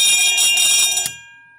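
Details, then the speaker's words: Edwards 341-T 20VDC fire alarm trouble bell powered at 18V from two 9V batteries: fast, bright ring about a second then cut off, slightly higher, off tone; gong is loose and out of adjustment. "um and the ring is a little off too because the gong on here is a little loose i may have to adjust that at some point"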